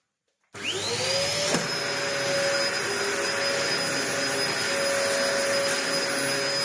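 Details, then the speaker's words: Dyson DC01 vacuum, built 5 June 1998, about 25 years old, after repair with new parts and original base plate inner refitted; motor spins up to a steady even high whine, no surging or rubbing; working fine. "Well, I think it's working fine."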